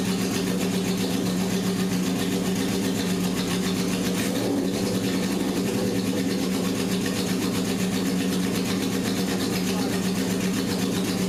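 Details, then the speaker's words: 1978 Honda CB750K barn-find with rebuilt engine, fourth start attempt on choke after setting idle mixture screws to 1.5 turns: the four-cylinder catches and keeps running at a steady, fairly even idle with all cylinders firing. "If that engine didn't start, yeah, I'm in big trouble. But it did. We had compression. It started."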